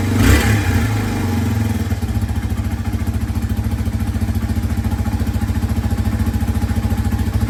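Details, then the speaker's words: 2003 Yamaha TT-R 225, cold, after replacing stator, ignition coil, spark plug cap and boot, and plug for a no-spark condition: catches after a brief crank into an even, steady single-cylinder idle thump; normal start and idle. "so she runs all right guys so we finally got the bike all back together and as you can hear the thing fired right up it's a little cold bloody which is to be expected from these ttrs"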